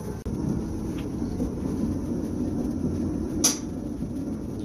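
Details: Kenmore 600 series dryer after replacing drum support wheels, belt and tensioner: steady, even low rumble from the turning drum, no squeak or rhythmic chirp; running smoothly after repair.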